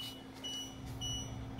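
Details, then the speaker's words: 2020 Winnebago Vista 31BE auto-leveling: steady high beeping over low engine hum, normal jacks-down warning not to drive off with jacks extended. "and you hear the beeping that's let you know that you can't just drive off because the jack is on so everything's good"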